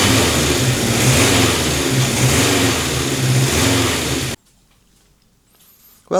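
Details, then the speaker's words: Honda CB750 K4 SOHC four after carburettor and airbox repairs: idles evenly and picks up cleanly on throttle blips with no knocking or hunting, then shuts off; running sweet. "She's on the button now. No more knocking or fighting herself. She sounds sweet. What a world of difference, eh?"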